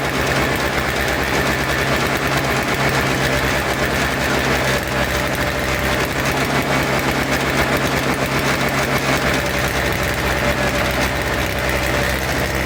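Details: Toro Snow Commander two-stroke snow thrower, after fresh fuel, reconnected fuel line, choke and primes: fast even buzzing putter, no stumbling or dying, running properly; old fuel suspected as main problem.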